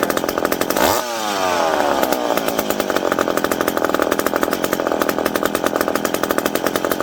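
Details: McCulloch PM700 two-stroke chainsaw, newly ported and on first run, not yet broken in. Revs up high, then holds a strong, even buzz while cutting wood, pulling cleanly without bogging or stalling. Normal running under cut.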